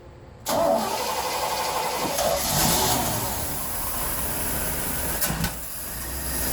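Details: 1976 Chevrolet C10 Scottsdale parked 40 years, new spark plugs, carb bowl filled, running on old tank gas: engine catches at once and settles into a quiet, steady, smooth idle with no misses or knocks; normal start and idle.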